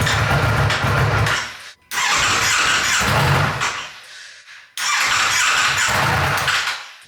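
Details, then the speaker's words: Wrecked 2024 Ducati V4 Panigale being rebuilt, first start, full tank, major oil leak: revs come in uneven bursts that rise and drop with gaps; runs rough, suspected limp mode or bad gas, not confirmed. "almost sounds like it's in a limp mode or something a limp [Music] mode"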